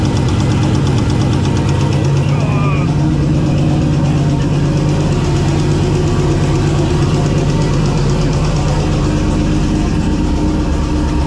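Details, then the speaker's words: V8 idling with a deep, regular knock after a spun rod bearing. Oil temperatures and pressures were good with an oil cooler fitted; high air temperatures led to detonation. "Then it actually spun and it was clearly knocking."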